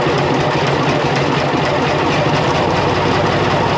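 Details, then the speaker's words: International 484 tractor, D-179 diesel, idling with valve cover off after valve lash adjustment: steady, even clatter without irregular tapping, sounding much better than before. "all right guys sounds good and sounds a lot better than it did before uh adjusted those valves"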